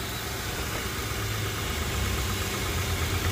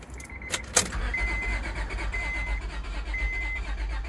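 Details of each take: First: 2004 Honda Pilot 3.5L with a new fuel pump, previously a crank no-start with dead battery, now started with coil cover off: steady, even low rumble with no misses, knocks or hunting; normal idle. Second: 2004 Honda Pilot 3.5L with a newly fitted aftermarket fuel pump, battery dead and jump-assisted: the starter cranks steadily with even pulses but the engine never fires; crank no start.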